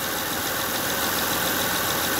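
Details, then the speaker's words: 2005 Honda Odyssey after replacing failing power steering pump that caused under-hood whining: steady even idle with no whine, running smooth; normal. "start there you go no noise [Music] running nice and smooth"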